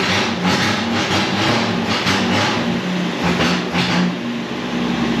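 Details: 1963 Ford Falcon ute running after a weekend of work to get it going. A steady, even engine drone with no knocks or misses, partly masked by music, sounds healthy.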